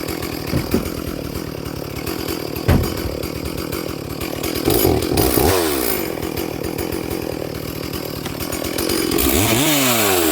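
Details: Stihl 440/460 hybrid chainsaw, freshly rebuilt, on its first tank of fuel with rings bedding in: burbling, uneven four-stroking at full throttle in the cut; carburettor set rich for running in, needs a slight leaning tweak.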